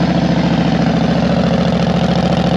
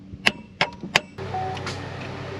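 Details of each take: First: Yamaha Road Star 1600cc V-twin motorcycle at idle: deep, steady loping thump near three beats per second with no misses or knocks; running healthy. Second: 2012 Chevrolet Captiva, no crank no start, new battery fitted: three sharp single clicks about a third of a second apart with no cranking; starter gets power but engine won't turn.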